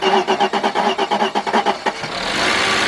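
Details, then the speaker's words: 1997 Mercedes-Benz E320, 119,000 miles, unrun for almost a year: after a new camshaft position sensor and repaired frayed sensor wires, it cranks with even pulses, then catches roughly and settles into a steady run; cranks-no-start now fixed. "Oh, there we go. Look at that car start. That was kind of rough, but this car hasn't ran in almost a year's time."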